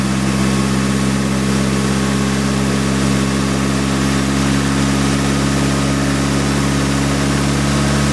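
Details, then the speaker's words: Nissan S15 SR20DET engine idling after an engine oil flush and oil change, with a smooth even hum and no knocks, ticks or hunting; sounds healthier. "all right so that sound healthier let it idle for a while"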